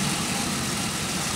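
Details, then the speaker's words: 2001 Pontiac Aztek GT, 170,480 miles: steady even idle hum, no ticks, knocks or squeal, though running shaky; engine otherwise sounds normal. "the squealing is not going on it sounds like it's running smooth I mean like no no tics no knocks"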